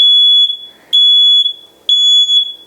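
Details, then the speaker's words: Combined smoke and carbon monoxide alarm twisted off its ceiling base to change the battery; three short, high, clear chimes about a second apart, the alarm's normal removal chime. "the unit will chime when you do this to access the battery open the battery access latch"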